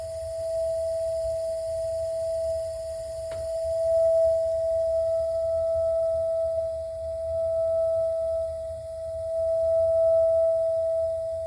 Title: A.O Smith water heater noise problem